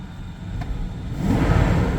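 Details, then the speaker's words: BMW E38 750iL V12, a parts car left sitting since about 2015: deep, even hum with no knocks, misses or wobble, settling slightly louder; smooth, healthy idle. "that this thing idle is phenomenal that's the biggest thing that'll make me want to keep a car is when you start it and it sounds like"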